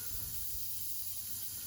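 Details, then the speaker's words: Household radiator bled after heat was restored, with many radiators, even downstairs, full of air; a thin, steady high-pitched hiss of trapped air escaping from the bleed valve, with no water yet. "Quite a lot of these, even the downstairs ones have quite a lot of air in them. Should bleed them all."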